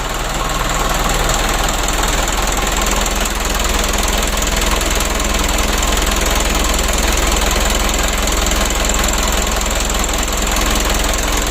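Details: Mitsubishi 120 PS Ragasa diesel after fixing engine oil contaminated with diesel, nozzle and injection pump work, fresh 9 L oil: steady, even diesel clatter at idle with no misses or knocks; running healthy.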